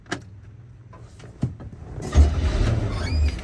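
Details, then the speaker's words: 1978 Chevy G20 van with a fairly new exhaust, started cold: a few clicks, then it catches at once and settles into a steady, even low rumble; oil pressure healthy, temperature still cold. Normal cold start. "see it starts right up see the oil pressure is nice and healthy you see the temperature is still cold"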